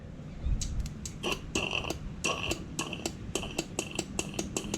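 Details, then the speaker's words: 2009 Cummins 6.7 diesel injector bench test: with air pressure applied and leads from the battery energizing the solenoid, the injector clicks sharply about three times a second with a short hiss of air passing through to the empty injector hole; normal operation. "so I touch it here you can hear it clicking I don't know if you can hear that and you can hear it going through the bypass to the other injector hole that's empty"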